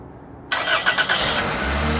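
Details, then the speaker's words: Used LKQ Toyota 1ZZ engine just installed in a Matrix XR, first startup without serpentine belt or coolant, shift solenoid code present: brief crank, catches cleanly, settles into even steady idle, no knocks or ticks — healthy normal start and idle. "engine sounds pretty good sounds really healthy hopefully it's a really good engine for the long term"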